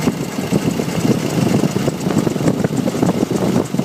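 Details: Nissan YD25 diesel at idle with a light, uneven knocking and ticking over the rumble. The source is unclear; the owner wonders about the injectors, timing chain, belts, pulleys or turbo.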